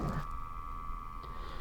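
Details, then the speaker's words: Dyson HP02 fan switched off: steady quiet mid-pitched hum as the motor turns slowly to sample room air; not a fault, continuous air monitoring is on and can be turned off. "then it isn't actually faulty what it is is you've got continuous monitoring turned on so even though we're turned off down here it's monitoring the room"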